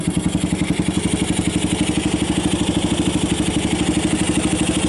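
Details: 1990 Kawasaki Bayou 220 ATV single-cylinder after cold start on choke, carb replaced, good compression; steady idle at about three pulses a second, even and unbroken with no misses, battery charging. Normal idle.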